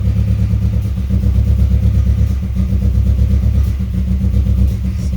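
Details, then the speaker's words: 2003 Subaru WRX rally build at first start after timing work, in neutral: low lumpy idle with uneven stumbling beats, misfiring and running rough before dying; owner suspects compression issue, not confirmed. "It ain't happy. It's misfiring. And it died."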